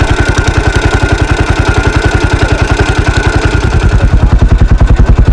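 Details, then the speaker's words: 1983 Husqvarna 510TC four-stroke single, restored after fire and recently rebuilt: crisp even thumping at about three and a half firings a second, no knocks or rattles; sweet-sounding normal running. "so as you can hear there it's still quite a nice sweet sounding at 510 engine after its recent rebuild"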